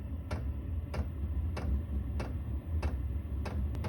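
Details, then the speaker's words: Chinese diesel air heater in a snowmobile trailer, just fired and producing warm air: light, even fuel-pump ticks about every 0.6 s over a soft low hum; normal running. "Okay, it's fired, and it's starting to produce warm air now."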